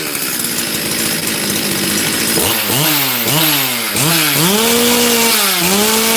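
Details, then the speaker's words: Chainsaw with new top end: revs surge and sag in quick swoops, briefly lean then heavy rich burble; mixture unstable, tuning abandoned. "did you hear that it was lean for a second and then it got really really rich"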